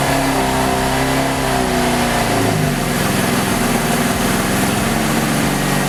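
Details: V6 Camaro after swapping to an 80mm throttle body with adapter plate, before retune: revs come down and settle into an uneven, lumpy idle close to stalling; rough idle needing retune.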